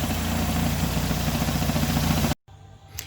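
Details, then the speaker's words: 2012 Renault Sandero at idle, hood open: loose, uneven tapping about three to four per second, then engine cuts; rattle from the air filter box left loose with a missing bolt, worsening when its latch is released. "Ah então não sei se vocês vão ouvir mas o barulho tá aqui ó isso aqui tá solto Olha isso aqui ó ó ó tá sem parafuso aqui"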